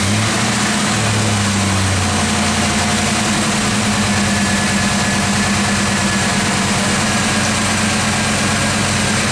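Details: Yellow Fox Body V8 after a new alternator was installed: a smooth, even idle with a steady low rumble and no squeal or whine from the charging side; it reads 14 volts.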